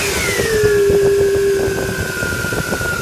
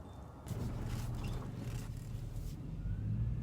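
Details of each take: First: still hear a little bit of a whining noise as we're getting that air out of there and a lot of times when you do hear that whining noise with your power-steering most of the time it's because of air in the lines Second: Power steering after about 20 minutes of bleeding air without a bleeder valve: quiet low engine hum with no pump whine or groan; the air-caused noise is fixed.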